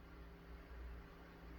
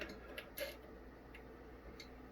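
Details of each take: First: Korad KA3305 bench power supply after replacing its noisy, whining cooling fan: new fan gives a quiet even hum with soft airflow and no whine, sounding much better than the old one. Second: Korad KA3305 30V 5A dual-channel bench power supply, opened for repair after a channel failed: sharp isolated clicks as the transformer tap relays switch on and off while output voltage changes.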